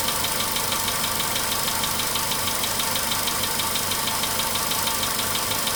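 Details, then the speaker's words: VW Polo Sedan, 99,329 km, idle after cold start, near 5 minutes running: sharp regular ticking knock about three per second still present; owner thought oil had spread; cause unknown. "Как будто все тяжелее и тяжелее работает. Меньше стучит, но такое ощущение, что все тяжелее и тяжелее."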